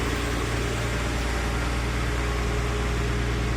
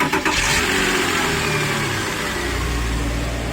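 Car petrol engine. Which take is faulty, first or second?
second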